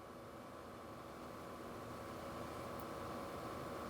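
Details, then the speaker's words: Replacement TRQ HVAC mode door actuator on a 2007-2013 Acura MDX, key on after installation: faint, steady electric whir as the small motor runs evenly through all its ranges; actuator working properly. "We can see the actuator making its way through all the ranges. We'll just confirm it functions as it"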